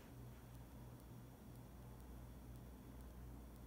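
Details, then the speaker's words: Pioneer WYS012AMFI19RL-16 12000 BTU 115V mini split indoor unit on high in heat mode, mic close: steady soft low hum with even airy hiss, no rattles or ticks; normal indoor fan noise. "so i got the unit cranked up on high for the uh the heat mode um i'm gonna try and do a sound comparison to a box fan so hopefully this will help"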